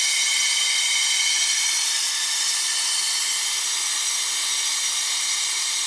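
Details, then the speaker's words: 2006 Dodge Caravan AC system after a rear evaporator block-off: the vacuum pump runs with a steady, even, loud hiss and no knocks, pulling the system down toward about 25–28 inHg. "so now it's pulling a vacuum oh yeah I'm going to pull a nice vacuum up to about 25"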